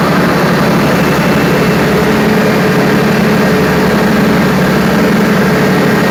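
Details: Perkins 4012 diesel after general overhaul, pre-lubricated before start, during load testing; steady even low drone at constant speed with no knocks or misses, running healthy under load.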